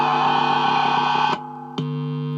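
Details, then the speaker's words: Spare Stratocaster pickup, middle position alone, through a high-gain amp: clean sustained guitar notes without the squeal heard from the microphonic neck and bridge pickups; this pickup is normal, no feedback. "So that's on its own, that's just the middle, so that's fine."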